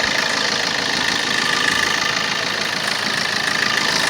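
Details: Opel Corsa D 1.3 diesel at idle: steady idle with a fast, fairly even ticking of about three clicks a second over a hissy background; clicking at idle, cause not clear.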